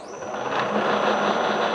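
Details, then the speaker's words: Bridgeport mill head in high gear with the spindle engaged: busy, gritty whirring whose noise changes with quill position and gear engagement. Noisy gear mesh; the old spindle arbor is bent, but the cause is not yet confirmed. "now the noise will change as I move the spindle up and down when I move the quill sorry now now the noise you hear will change based on which te we engage"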